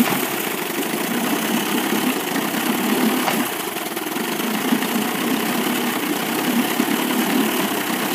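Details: 1998 Evinrude 25 outboard misses at low rpm, lower cylinder only; uneven idle with occasional dropped beats; good spark both cylinders, charge coil 330 V, power pack 170 V, trigger 10 V, carb cleaned, coils and plug wires swapped, cause not found.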